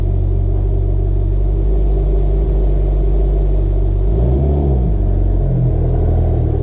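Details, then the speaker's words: Mitsubishi Evo X with fully built engine and GTX3076R turbo, after welding a leaking exhaust: deep, smooth, even note with a brief clean rev blip, no ticking or puffing; normal exhaust note. "Welded the exhaust too, so we had an exhaust leak. So that sounds a lot better right now. Way better. It sounded so bad before."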